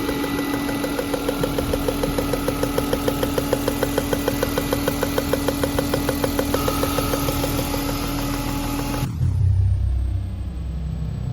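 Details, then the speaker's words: BMW E36 M3 at steady idle with a sharp, even tick about three times a second over the fifth coil, varying with RPM; suspected loose number-five spark plug leaking compression. "So I'm suspecting that the fifth spark plug is probably loose, and what's happening is it's because of the pressure from the piston, it's causing that little tick."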